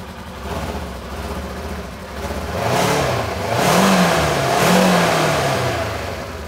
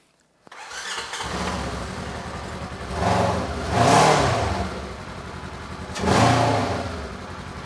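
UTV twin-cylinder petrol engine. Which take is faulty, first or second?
second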